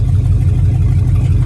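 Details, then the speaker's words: Auction truck with a Vortec engine: a deep, loud, uneven rumble with no high end and nothing muffling it. The catalytic converter is suspected stolen; not confirmed. "somebody stole the cat I'm willing to bet and they totaled it"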